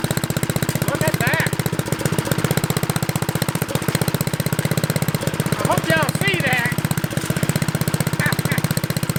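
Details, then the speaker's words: $10 Troy-Bilt Horse tiller single-cylinder, fresh fuel, carburetor bowl drained, untouched otherwise, loose spark plug tightened: steady even thumping at low idle, about four beats a second; normal running. "sounds good well my ten dollar rototiller is running"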